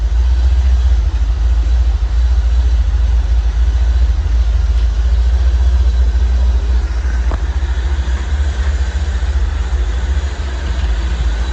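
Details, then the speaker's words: 1985 C4 Corvette V8 after a no-start problem, timing still to be set: steady, deep idle with no misses, only slight speed drift; sounds a whole lot better than before. "So I'm very happy. She sounds a whole lot better than she did."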